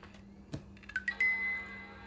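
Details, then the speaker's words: Tangerine Apple iBook G3 clamshell laptop (1999) booting up beside an iMac: a quick run of short bright tones rising into one clear sustained note, a faint but fast normal startup chime. "little faint, I don't know if you could hear it, but it did chime, and chime very quickly at that."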